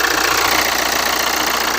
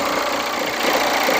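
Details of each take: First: Hyundai Santa Fe after replacing idler pulleys and belt to cure a loud, vibrating noise outside the engine: petrol engine now idles with a steady, even pulse, no squeal, chirp or rattle. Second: Hyundai Santa Fe engine idling, hood open: loud rough whirring rush from the belt drive; worn idler and tensioner bearings, replaced along with drive belt.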